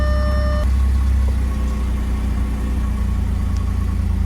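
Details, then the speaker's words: B8 Audi S4 cold start the morning after cleaning the inlet pressure (MAP) sensors for code P012B and a jumping cold idle: deep, steady rumble smoothly settling to an even idle with no hunting; issue fixed. "yep it smoothly came down to idle"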